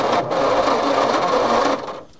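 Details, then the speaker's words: Petrol Bedford tip truck, roughly early 1960s to mid-1970s, rusty and sitting 10+ years: slow, labored cranking with a harsh gravelly grind throughout, then cuts off; cause not yet found. "Turning over. Sounds like there's a handful of gravel in there somewhere."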